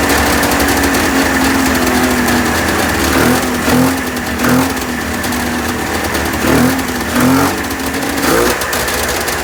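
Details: 1996 Ski-Doo Formula 3 600 two-stroke triple after carb cleaning and synchronization: crisp buzz picking up cleanly on each throttle blip and settling back smoothly; runs well.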